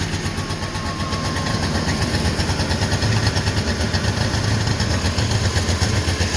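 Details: Two-stroke twin Subaru 360 van, cold start after storage, warming up: uneven burbling low idle with loose irregular pulses and ragged beat. Rough cold idle on choke.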